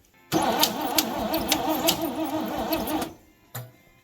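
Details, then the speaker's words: 1967 International 1200 pickup, sitting 20 years, first crank attempt in Alaskan winter: starter spins engine about three seconds with uneven clicky clacky noise, no start; cause unknown. "well it spins over I don't know what that funny clicky clacky noise is but well we'll find out the fun way when we start it"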